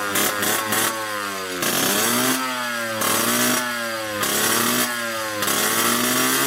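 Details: 1986 Yamaha YSR 50 two-stroke, running again after more gas added, following carburetor reinstall and priming with premix: a crisp buzz climbing freely through repeated throttle blips and dropping back cleanly, no misfire or bogging. Healthy engine.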